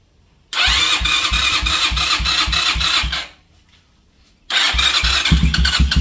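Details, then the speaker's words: Honda CB250 that made a strange dragging noise when cold, after repair and engine wash, first start: catches at once, even steady idle, restarts cleanly; ugly noise gone, slight vibration from engine held by two bolts; loose cam chain guides suspected. "pero el ruido ese feo que tenía como si fuera fela realmente ya no tiene"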